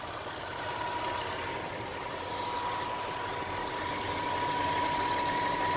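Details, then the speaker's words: 1992 Lexus ES300 V6 after ECU change, cap and rotor, throttle body cleaning, air and fuel filters, catalytic converter and Y-pipe, and oil change: idles evenly and steadily, no misfire, faint constant whistle. "check out the engine I swear God not a single misfire like you can even listen she's pouring bro she is pouring"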